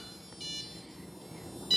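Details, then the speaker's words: Blade Fusion 360 BNF helicopter just powered up with battery plugged in, throttle hold on, stick down; thin, steady high-pitched whine of digital servos over a quiet room; normal servo hum. "listening hear the obnoxious frequency of digital servos"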